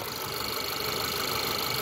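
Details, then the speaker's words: 2010 Audi A3 1.2 TFSI petrol, 6-speed manual, 61k miles, full service history, at idle: steady, even idle with light valvetrain ticking, attributed to a sensitive phone microphone; healthy engine. "So that engine might sound loud to you at the moment, but it's not. It might sound a little bit tappy as well, but it's not. It's the microphone, it's that good."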